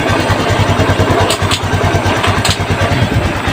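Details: Honda XRM 125 fuel-injected single at idle with a hard, regular low knock on each beat from under the engine, present first to fourth gear; cause a worn, wobbling transmission bearing, fixed by overhaul.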